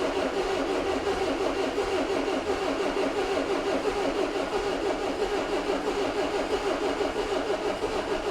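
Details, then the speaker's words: 2002 Renault Master 2.2 dCi after fitting new genuine pump parts and heater plugs, air box off, low fuel, earlier failed start: diesel catches and settles into steady even idle; normal start after repair of intermittent crank no start. "Trying. It's alive! It's alive! Right, what I'm going to do, I just want to leave this running."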